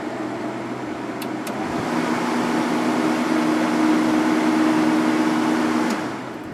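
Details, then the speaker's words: Sharp 10,500 BTU window air conditioner fan motor after cleaning and oiling dry bearings: steady air rush over an even motor hum, previous squeal gone, fan coasting long after shutoff; compressor not yet running. "yeah that is a major Improvement it's taking a nice long time to stop and stop making that awful squealing noise anymore"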